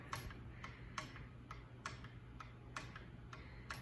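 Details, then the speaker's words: 52-inch Redington ceiling fan: light sharp clicks, a loud one about every second with a softer one between, over faint fan drone; something loose inside the motor housing, cause unknown, not fixed; clicking. "something's definitely messed up with this fan i don't know what's wrong with it there's something inside the motor housing like what oh my god it's so annoying"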